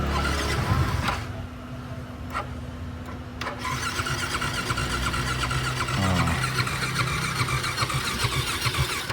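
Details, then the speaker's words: LC motorcycle with a rotted fuel hose just replaced by 6mm car fuel hose: starter spins steadily for several seconds with faint hum but engine never catches; no fuel reaching it yet, so it needs kick-starting to draw fuel through the fuel cock. "motor minyak tak ada tadi, supaya nak hidup sikit lah. Kena start pakai kaki lah."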